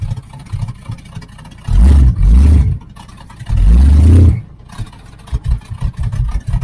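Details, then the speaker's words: 1980 Z28 V8 on a new knock-off Holley 4-barrel carb, after opening the flapper fully so the idle screw could lower the idle; timing still not adjusted: two quick, clean throttle blips dropping back crisply to a low idle. It now has acceleration. "Yeah, it's got an acceleration now. before I didn't cuz we never did adjust the uh timing or anything because no use messing with that cuz the till the carburetor's fixed."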